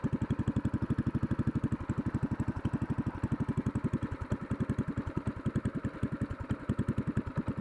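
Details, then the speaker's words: Racing go-kart engine idling on its lawnmower-style muffler before a racing J-pipe header is fitted: uneven single-cylinder beat with a sharp puffing chuff each firing pulse; exhaust leak at the muffler. "here's a muffle test has a bit of exhaust leak right now as you can hear"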